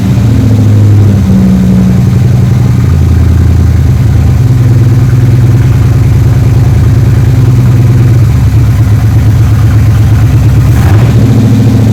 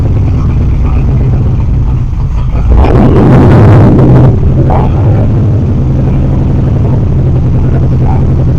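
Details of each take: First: 3rd Gen Camaro Z28 carbureted V8 after replacing the plug wires and the spark plugs that caused a dead-cylinder misfire; steady, even idle with a smooth low rumble and no misses or stumbles, now a normal idle on all eight cylinders. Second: 3rd Gen Camaro Z28 carbureted V8, started with starter fluid, before repair; lumpy, uneven idle with a loping beat and a brief rev; dead-cylinder misfire where pulling the number two plug wire gave no change despite spark.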